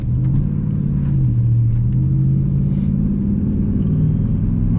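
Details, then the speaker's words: 2002-2005 Dodge Ram 1500 recorded inside the cab while driving at speed and coasting: constant low drone under the road rumble, holding steady at cruise, from worn front wheel hub bearings before replacement. "we are in my Ram today because my wheel Huds were going out and I need to change them"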